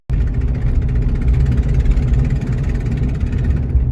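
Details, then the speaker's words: 2005 Dodge Dakota idling and revved: a loud raspy ticking chuff close to the engine from headers rusted through where they bolt to the block on both sides, with exhaust visible from the wheel well. "go back it up and you can uh you can really hear how bad that is and you can actually see the exhaust coming from the wheel well anyway that's uh that's what's causing this thing"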